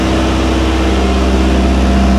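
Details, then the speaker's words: Triumph TR6 just out of winter storage, started via the solenoid button, cold idle on choke: steady even low hum with no misses, knocks or ticks; normal cold idle. "Anyway, she's running again. Sounds good right off the bat. Check for oil pressure."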